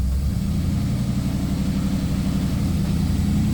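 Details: 1956 Chevy race car, possibly original V8, revived after 20 years abandoned, running with timing not yet adjusted: deep steady idle with slight lope, even firing, no knocks or misses; healthy normal idle.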